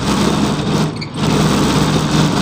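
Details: Evaporative air cooler fan: loud rough rattling roar; cause is the blower wheel's inner hub slipping on the motor shaft, no longer locking to it. Controls, speeds and swing work normally.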